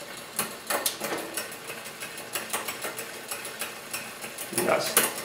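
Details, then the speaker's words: Bicycle rear derailleur during build/adjustment, chain on second cog: uneven ticking and clatter as it works through gears; too much slack removed, cable/housing tension too high, so rear shifting is poor and needs tension returned. "definitely a problem a problem shift so we we've gone too far we have taken the slack out"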